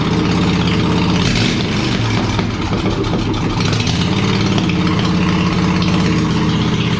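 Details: Small tractor single-cylinder engine run on choke with the muffler removed, after teardown and repaint: loud, raw, blatty popping, running rough, harsh and unmuffled; open exhaust, no muffler fitted.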